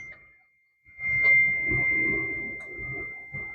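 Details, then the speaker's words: Neglected Mitsubishi car being jump-started after tightening the battery cable: steady high dash warning chime rings continuously behind low clunks, now the battery has power again. "All right, I went and tightened the cable. Now she's back to yelling at me."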